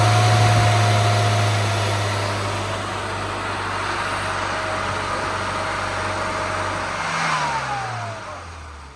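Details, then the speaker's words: Classic car on the tuning demo, recurved distributor fitted, extra top-end fuel added without rolling-road load: engine revs hard then falls back, top end a touch flat; still slightly lean at the top end, spring and needle change (yellow spring, BDR needle) planned next. "Fuel hasn't changed that much, it's still a bit lean at the top end."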